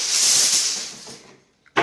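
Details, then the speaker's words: Water supply pipe behind the wall beside a bathroom vanity, leaking for two days, heard through a hole cut in the wall. A sharp, steady high hiss fades and cuts back in as the pipe squirts from a pinhole leak. "here there you go it's squirting i was right then i i put my ear in there yeah so that's where the leaking is"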